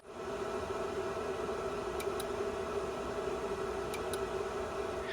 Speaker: inside the MAU, the Multistation Access Unit, basically the Token Ring hub, opening and closing the ring whenever the interface is brought up or down by the test program.